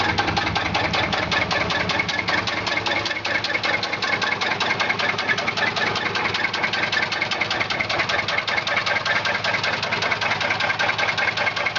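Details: 1995 Chevy Silverado with 4.3 Vortec V6 idling with a loud, steady knock hammering evenly over the engine note; battery also keeps discharging, owner doesn't know the cause.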